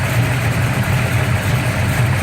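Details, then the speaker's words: Gran Torino V8 with big cam, newly fitted MSD Atomic fuel injection, MSD box, distributor and plug wires, started cold at about 52°F after sitting 4 months: deep idle with rhythmic uneven lope that sounds like a miss but isn't; normal lumpy idle. "Sounds like it's missing, but it's not. It's a big cam we got in there."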